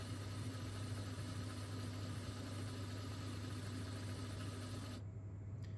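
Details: Mastertronic water analyzer, reference fluid test, empty motor draining a rinse from the reaction chamber until air bubbles show it is drained: quiet steady low hum, even pitch, dropping away near the end; normal drain.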